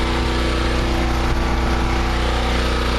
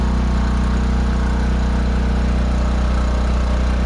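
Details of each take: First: Generator with new exhaust elbow on 3/4" conduit: steady, even drone at constant speed, no knocks or clanks; runs okay with choke and carburetor fine, though an earlier unexplained noise and some pieces found near it remain unidentified. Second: Generator running with a new elbow fitted on thin-wall 3/4" conduit exhaust: loud steady low drone with buzzy even pulse near three per second; the squared-off elbow touches the enclosure top, vibrating the door; muffler around 415 degrees.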